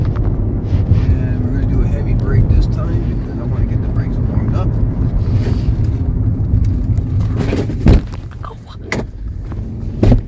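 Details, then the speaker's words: Dodge Journey test drive after rear brake work: road rumble drops away as the car stops hard, with no squeal, scrape or grinding; brakes working normally and quietly. "sorry brakes are working excellent that's good there's no noise there's no uh"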